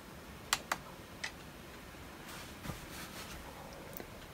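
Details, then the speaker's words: Old Dell Inspiron laptop running Windows XP, first powered on in about 15 years: scattered sharp ticks and short chatter bursts over a quiet background as the 27.9 GB hard drive seeks busily, apparently indexing; normal activity. "and the hard drive is just going to town here it's sounds like it's indexing like i said this thing hasn't been powered on for i think she said 15 years"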